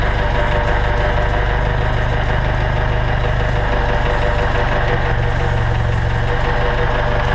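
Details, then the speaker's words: 1962 International Scout with a bone-stock engine, cold start after sitting in the shop all day, gas pedal pumped first. Deep, even idle with a steady low thrum and no knocks or misses: normal cold-start idle. "this has been sitting uh in the shop all day uh this is pretty much a cold start I'll uh pump the gas once or twice and we'll hit the key here and you can hear this hear this old truck [Music] run"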